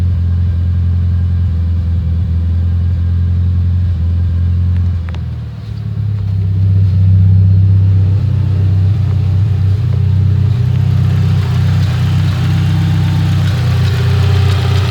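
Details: Petrol engine at startup the day after a tune; it had stalled twice and now idles unevenly with a heavy, lumpy rumble and loose, irregular knocking that seems to come from the head; cause unconfirmed.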